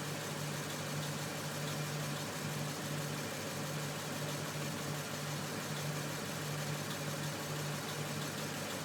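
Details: Lexus IS F V8 at steady idle: faint regular tapping pulsing through the low rumble; owner links it to Toyota valve spring problems, knock source unconfirmed.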